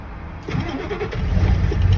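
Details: Ford 7.3 Power Stroke diesel truck, manual with clutch, cold start after sitting about 2 weeks in colder weather; key cycled about 3 times to heat glow plugs; quiet, then catches with rough low rumble settling toward idle; hard cold start.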